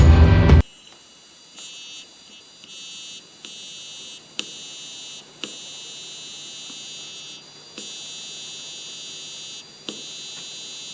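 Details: Logitech Z533 PC speakers idle: thin high whistle and low buzz cutting in and out with faint clicks, from a faulty capacitor, replaced with a 10 nF metallized polypropylene (CBB) capacitor.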